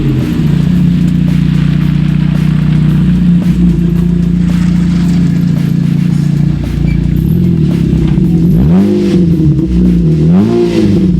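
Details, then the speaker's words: Opel Agila revving: a loud, raw blat that swells and falls with each rev, far too raspy for stock; the exhaust has rusted through and broken, to be replaced. "On entend très bien qu'il y a comme un problème au niveau de l'échappement, hein."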